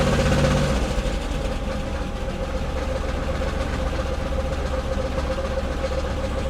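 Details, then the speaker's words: 1999 Chevrolet Camaro V6, first start after fuel pump replacement, service engine soon light on: low, uneven idle with a lumpy, stumbling beat about four per second, never settling smooth; rough running, cause unknown. "Oh, hell yeah! Sounds like ass. Like complete dog"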